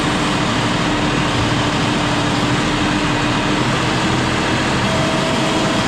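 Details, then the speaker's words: John Deere 5067E diesel tractor at 30 hours, after tightening loose intercooler boost hose clamps that were leaking boost: steady even drone, no turbo whistle or hiss, expected more horsepower; normal running. "Probably won't hear the turbo whistle like we did when it was pulling before, but it's going to have more horsepower, I guarantee it, because it's going to get all the boost."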